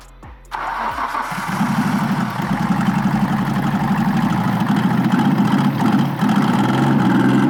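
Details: Nissan GTR with oil coming out of the turbo into the exhaust: cranks, catches, then lumpy uneven idle with stumbling beat; compression test suggested.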